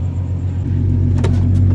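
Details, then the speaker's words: 2017 Ford Mustang S550 3.7L V6, first start after installing one-step-colder NGK spark plugs, hood closed: deep steady even idle, no misses, knocks or ticks, engine readjusting; normal idle, no codes. "oh yeah you can hear her adjusting for sure she was not used to those new spark plugs everything's adjusting now i'm sure relearning the one step colder spark plug so yeah successful start everything looks good"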